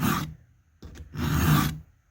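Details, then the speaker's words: Hand-filing a saw chain cutter with the file at 30 degrees parallel to the bar, held firm against the body: two slow, deep, even rasping strokes, the solid grind of correct file contact, done to fix crooked cutting. "you can hear that nice deep grind so i'm grinding good now"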